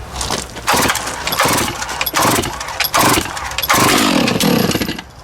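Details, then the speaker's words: Stihl MS660 chainsaw after clutch repair, run on the bench without chain, good compression: sharp, crisp revs rising and falling in quick bursts, pulling hard and cleanly with no bog or misfire; normal running. "This thing is a brute. Let me tell you, it has a pile of power in it."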